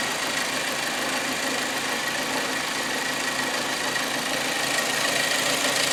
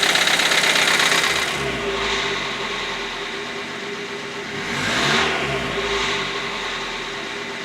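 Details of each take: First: Hyundai Accent 1.6 petrol after removing camshafts and flushing four failed hydraulic lifters: steady idle with a light, even top-end tick and no heavy lifter clatter standing out; seems to run normally. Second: Hyundai Accent 1.6 petrol before repair: quick, even top-end ticking over the engine as it revs and settles, hydraulic lifter knock.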